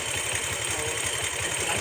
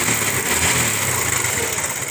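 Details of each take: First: Bajaj Pulsar motorcycle after timing chain replacement and tensioner adjustment: steady, even idle with a regular low pulse at the firing rate and no tapping or chain rattle; timing chain noise gone, engine healthy. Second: Bajaj Pulsar (owner calls it his 150) idling, with a fast, light metallic rattle of about three or four beats a second over the single; slack, worn timing chain rattle before chain replacement.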